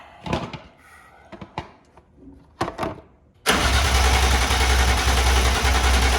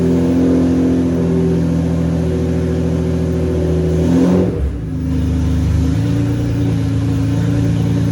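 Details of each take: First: BMW E36 with swapped S54 engine, first start attempt with fuel pump and fuse in; after clicks, starter spins engine steadily about three seconds but it never catches, no power to the throttle bodies; crank no start. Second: BMW E36 with swapped S54 engine, first start, exhaust not fully built; even smooth drone with a brief rev blip settling back, no ticking or rattles, VANOS sounds great; healthy running.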